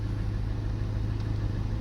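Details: Skoda Octavia 1.8 TSI with a hot-start no-start, after fuel module replacement, running 43 minutes at 105 °C coolant with high-pressure pump pressure holding: low, even, steady idle with no misses or knocks; normal warm idle, repaired.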